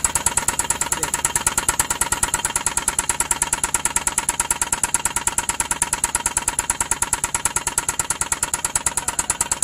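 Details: Suzuki K6A engine knocking: hard, sharp, even knock about three times a second over idle, from a broken piston hitting a damaged cylinder liner.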